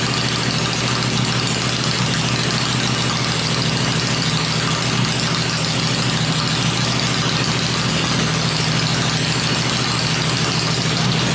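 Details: 96-inch V-twin motor with Edelbrock heads, freshly built and first fired on an engine run stand before installation in the bike; deep lumpy beat at gentle fast idle, slight shake, no knock or rattle; normal running.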